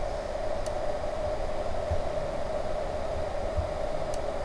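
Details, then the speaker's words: Opel Astra H Caravan battery on a charger set to motor repair program, connected minus then plus, left running overnight; faint steady mid-pitched hum, charger running normally through its repair cycle. "und ihr macht jetzt hier los am plus und dann läuft das jetzt die ganze nacht durch"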